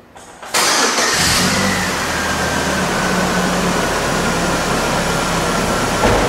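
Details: 2001 GMC Sonoma 2.2L with replaced engine, run after coolant leak repair and cleanup to check for drips: cranks briefly, catches cleanly, settles into steady even idle, no misfire or odd noises; normal idle, leak appears fixed.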